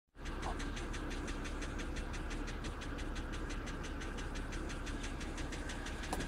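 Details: 2007 BMW X3 cold start: a petrol engine idles with a sharp, regular knock of about six or seven beats a second, loud enough to hear inside the closed cabin, with the oil level reading full.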